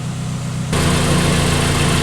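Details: 2003 Pontiac Vibe GT, Toyota 2ZZ-GE petrol engine, after exhaust leak repairs: idles then revved and held steady at higher rpm, smooth and quiet with no puffing or ticking.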